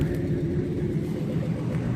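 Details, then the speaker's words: Ford 4.6 Triton V8 after a broken spark plug was removed and replaced: a little rough at first start, now a deep, even burble with steady firing pulses and no misses; smooth idle, slight exhaust leak remains. "it was a little rough when I first started now you can see it's real smooth now"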